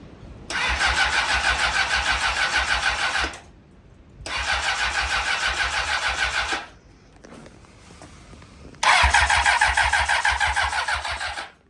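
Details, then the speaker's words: Honda CBR 600RR being test-started briefly without coolant after an engine rebuild. Three cranking bursts with a quick, even starter chug never catch; the owner says it sounds like it's not getting gas. Cranks without starting, likely from fuel starvation. "It's giving me an oil wipe and it sounds like it's not getting gas."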